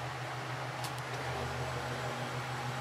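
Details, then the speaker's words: Antique Century ceiling fan with blades on, after cleaning and oiling the gummed-up shaft, on medium and high: soft steady hum and airy whoosh, no bearing noise, grinding or ticking; smooth, quiet normal running. "let's go up to medium and high this one is very smooth and quiet"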